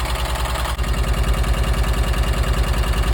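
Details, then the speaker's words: 1983 VW T3 Vanagon engine after head-stud replacement and head seal work, still warming up: even, steady low thrum at about three pulses a second, no skips or clatter; firing on all cylinders, normal idle. "it doesn't sound like it's not firing on anything sounds like it's firing on"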